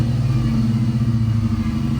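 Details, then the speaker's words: LS V8-swapped BMW at idle after fitting used fuel injectors with an adapter harness: deep, steady burble with slight unevenness, running cleanly. "definitely seems to be running"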